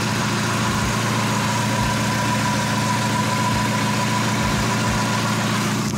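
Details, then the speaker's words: Mazda MX-5 NA after first oil change, one to two minutes running: steady even idle, smooth low rumble, no hydraulic lifter ticking from top end anymore; normal idle, engine sounds better than before. "wir machen jetzt die Karre einmal an und die für 1 2 Minuten laufen läuft gut Hydrostößel klappert nicht mehr sehr schön klingt gut"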